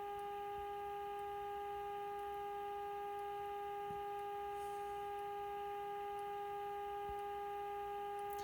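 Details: 1951 RCA Victor Nipper II tube radio during repair, IF alignment: a steady, clean tone near 400 Hz with fainter overtones over a low hum. This is the modulated test signal being peaked with a screwdriver.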